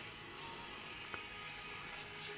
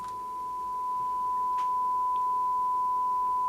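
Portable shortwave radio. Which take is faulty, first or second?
first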